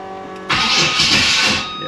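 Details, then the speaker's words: 1987 Monte Carlo SS small-block gives an ugly, harsh crank before stumbling into life. "see ugly start"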